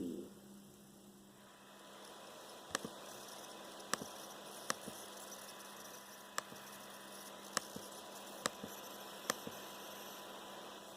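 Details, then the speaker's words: Dell XPS 13 9360 (Core i7, QHD+): a faint, steady metallic coil whine from the processor area at the back right of the keyboard, with a few clicks. It is intermittent and worse as the laptop heats up or the fan is blocked. "so basically it's just really annoying metallic noise it resonates from inside the X XPS 13 um it kind of comes from in the where the processor area is so that happens to be on the back right hand side of the keyboard on this"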